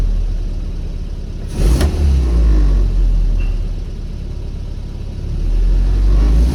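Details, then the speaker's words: Engine blips cleanly with no flat spot after the damper oil was adjusted to keep it rich on throttle opening, then drops straight back to a steady idle without fluctuation during on-the-road carburettor tuning. "yeah yeah yeah there's just there's just no flat spot there at all is there and when it when you there's no flat spot there at all you take your foot off the accelerator just s straight back down to where it should be there's no fluctuation at all"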